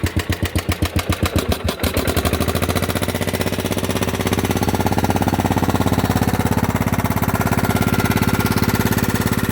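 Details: Old Husqvarna LR125 riding tractor, sitting a very long time, started on another battery, possibly overfilled with oil, smoking a lot: cranks, catches and runs roughly with a steady light tick over the firing beat; engine ticking.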